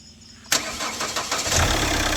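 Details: 2010 Chevrolet Captiva diesel after full turbo intake and fuel system cleaning of heavy carbon sludge and an injector check: starter turns briefly, engine catches cleanly into a steady, even idle with no misfire or knocking.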